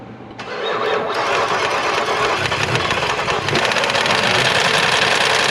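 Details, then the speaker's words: 2022 Ford F-150 5.0L V8 with Whipple supercharger: cranks, catches, then runs rough with uneven clattering knock about three to four hits a second; no oil pressure though oil present, check engine light on; suspected hole in block or failed oil pump. "I don't think there's any reason to check codes the check engine light is on but obviously it's an engine internal problem"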